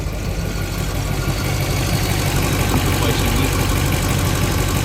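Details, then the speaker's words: Normal idle of the Indmar 5.7 L V8 inboard in a 2002 Mastercraft boat after replacing the oil pump driveshaft. It runs with a steady, even low rumble and no knocking or ticking. Oil pressure is restored where before it read zero and the alarm sounded. "wonderful wonderful before it was showing zero the oil pressure alarm would go off so all was good again"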